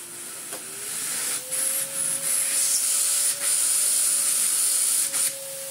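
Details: Old Electrolux vacuum cleaner switched on after long storage in the loft, dented and scratched: motor spins up to a steady, even hum with airy hiss on top, no grinding or rattle; works fine.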